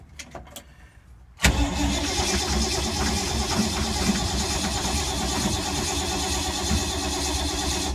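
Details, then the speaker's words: 1952 Ford, sat for months in rain, owner suspects flooding, no starting fluid: long steady cranking for seconds without a single catch or firing pulse; cranks, won't start, owner suspects points and condenser or moisture. "Wow, 5 minutes of crankage and nothing."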